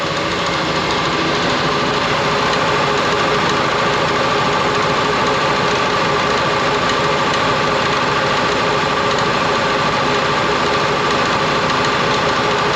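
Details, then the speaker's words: Air compressor with new motor running normally, the old motor having failed after long hard use; steady motor-and-pump drone with fast regular pulse, no knocking, building toward cut-off. Unloader check valve in tank bleeds head pressure (130 PSI) so restart starts against 0; hisses at cut-off. "New one's running good. It's now the unloader valve."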